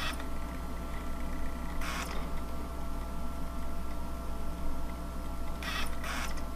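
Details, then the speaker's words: Panasonic 3DO FZ-10 after repairing the seized motor and grinding, microphone by the console: steady low hum with short clean seeking bursts and no grinding while loading a game; disc drive loads normally. "we're gonna go ahead and turn this bad boy on go to the screen and you'll hear it does not put this microphone by the system that there is no grinding"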